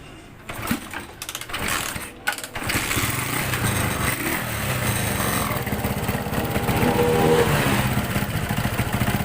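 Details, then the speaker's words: Honda GL100 motorcycle converted to a homemade CDI ignition, engine not in perfect condition. After rough catching it settles into a steady, slightly uneven putter that holds on its own; acceptable idle. "จะเดินเบาได้ประมาณนี้นะครับก็ถือว่าโอเคแล้วนะครับ"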